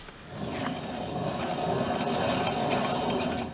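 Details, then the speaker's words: Chevy Suburban wheel hub spun by hand, wheel off and caliper removed: a rough, gritty grinding drone from a failed wheel bearing, which also clunks when shaken. "I'll spin this one more time so you guys can hear it grind."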